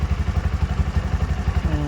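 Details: Bajaj BS6 petrol engine idling after a rebuild for a failed crankshaft bearing (valves lapped, new valve seals; new air filter). Even low putt-putt at about eleven pulses a second, no knocking or clatter: healthy settled idle.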